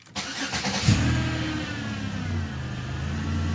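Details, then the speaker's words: Chevy Impala after repair for codes C0045/C0050 and P0340/P0341, with loose screw and missing locking tab found: starter whirs briefly, engine catches cleanly and settles into a smooth even idle with no knocks or misses. "you go started right up like a champ everything sounds good"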